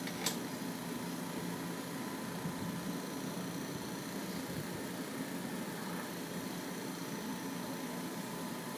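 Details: Camel PSIF-16 55W stand fan after repair of noisy spinning (worn shaft sanded, bushing and capacitor replaced): smooth, even whoosh at steady speed with no knocking, rubbing or rattle; fan running normally.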